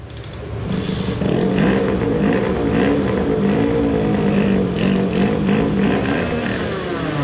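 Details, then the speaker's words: Tuned 20 hp two-stroke moped at full throttle with ignition not too advanced: hard, steady wide-open scream pulling evenly with no stumble, sputter or fade; running healthy. "sounds like an (illegally) tuned moped let's see how it did."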